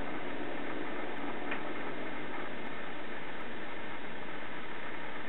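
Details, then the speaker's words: Thermaltake Level 10 GT ColorShift case with the fan switch on high: the side fan gives a louder, steady, even airy whoosh with no rattle, ticking or wobble, which is normal; on low it is nearly silent. "low seems to be the best it's pretty much silent but when you hit high you can hear that side fan kick up that's a pretty big"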